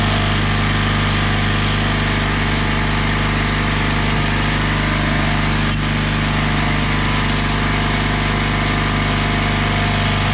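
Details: Craftsman oilless air compressor after a new drain valve was fitted: a steady, even motor drone with a fixed low hum and no knocks or rattles while pumping the tank up to 40 psi; running healthy.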